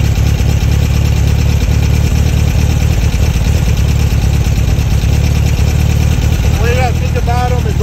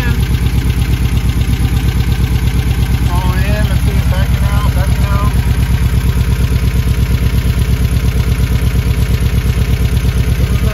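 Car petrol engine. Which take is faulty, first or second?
second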